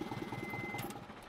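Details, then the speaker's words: Isuzu 4HL1 diesel that cranked but would not start, fixed after finding a grounded wire at a relay socket: now starts and runs with a quick even clatter, steady rhythm, no misses or knocks; normal running. "Ayan umaandar na siya no. Medyo mahihirapan din kami pero sa awa ng Diyos okay naman na siya ngayon."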